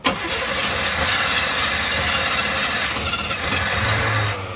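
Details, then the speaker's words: 305 Chevy V8 fitted with a two-stroke KX250 dirtbike carburetor on a homemade intake: steady churning crank for several seconds with no catch; engine flooded and puking gas. "try it again. Oh, she's just puking gas. Okay, one more time."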